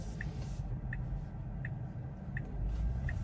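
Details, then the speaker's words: Tesla rolling slowly through town; short high squeak repeating about every 0.7 s over low road rumble; owner suspects upper control arm needs resealing, unconfirmed. "hear that squeak I do need to get my CV joints or not CV joints my uh upper control arm resealed"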